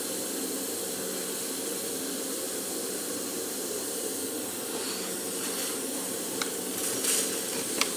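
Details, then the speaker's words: Land Rover 200 TDI transfer box, pressure-tested with air before fitting the front cover: faint, steady high hiss under low test pressure. Air is leaking at the high/low diff lock switch; the flanges are not leaking. "there's a leak coming out of the high low uh the diff lock switch nothing coming out there nothing coming out flanges excellent but that is terrible yeah look at it coming out of here"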